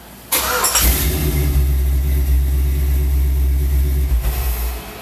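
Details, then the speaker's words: 1993 Chevy S10 with swapped 5.3 LS V8, untuned 2002 Chevy pickup ECM with no VATS delete: quick crank, catches cleanly and settles into a deep, steady idle with no misses or knocks; normal start, computer still needs tuning. "Well, I think it starts good. It sounds good. I just need to get that computer tuned."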